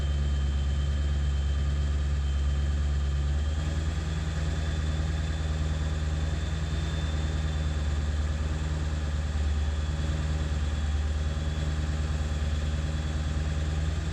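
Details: 7.3 diesel at idle after ICP sensor replacement, still running poorly: a deep idle with an uneven, lumpy beat and slight hunting in the rhythm; rough idle, cause not pinned down.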